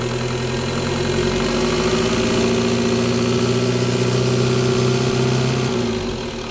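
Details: 1.9L TDI diesel with fuel problem, injectors diagnosed as bad: harsh rattling knock roughly four per second over the idle, fairly steady; diesel injector knock.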